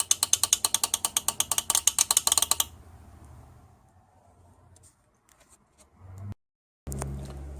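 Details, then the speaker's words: Toyota Kluger U151F automatic transmission, SR shift solenoid (applied in 3rd–5th gear) removed from the valve body and bench-tested on 10.5 volts; crisp, rapid, even on/off clicking, normal solenoid operation. "and I've got ten point five volts and you can hear it clicking away nicely there"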